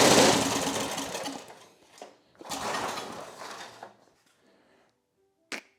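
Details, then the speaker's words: Briggs & Stratton 8 HP single-cylinder, revived after long storage, primed into the carburetor: coughs to life in short bursts then dies within seconds, running only on primed fuel; carburetor needs rebuilding, fuel line likely petrified. "that's fun I am super happy but we're gonna have to do something about our carburetor here"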